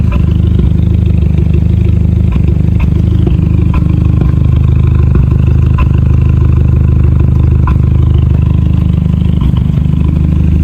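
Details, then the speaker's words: MK5 VW Golf GTI at cold idle on a cold day, after fitting a PCV valve: runs fairly steady but still stumbles with a slight misfire, less than before; codes still show cylinders 1-3 misfire, random misfire and MAF sensor. "it's not as bad as it was before but you can still hear it a little bit misfiring if I come around to the back so it is it has a lot of w off but that could be it's a cold start and it is quite cold"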